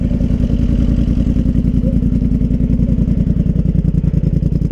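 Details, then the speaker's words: Polaris Sportsman Highlifter 850 twin with Big Gun Power Box and Evo U exhaust, running after tuning troubles, smoking a little, possibly from excess fuel: quick, steady putter with even firing, no misses; normal running. "Okay, so after, I don't even want to say how many choice words, she's running."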